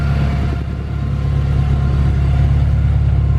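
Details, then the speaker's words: Honda S2000 with Skunk2 header, titanium charge pipes and 3" titanium exhaust, retuned, driven up and down street: deep even exhaust drone swelling smoothly as revs climb, no misses; flames possible on fuel cut. "The exhaust sounds absolutely insane. Hopefully you got to hear that on this video."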